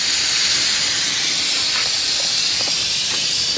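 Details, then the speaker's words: Old Ford truck: steady high hiss with faint spitting, no engine note heard, as pressurised coolant escapes through at least three radiator pinholes. Leaks are to be fixed with solder. "I can put a little solder in that pinhole right there. We'll fix that one. The big ones are going to be in the fins."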